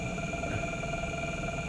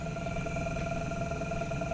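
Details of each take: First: Generator test rig, adjustable drive motor spinning a small magnet rotor load, turned up to higher voltage around an amp: steady even hum with constant whine, no knocks or wobble; motor holds speed smoothly. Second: Drive motor on a generator setup at about 20 volts, driving a small magnet rotor: steady whine with fast uneven clicking about three a second as it stops and restarts with no torque; clicking from low voltage, stops under load.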